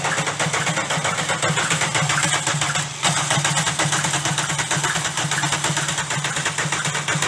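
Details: VW Golf diesel idling with a sharp, regular knock riding over the diesel clatter, steady with speed; the connecting rod bearing shells are worn: rod knock.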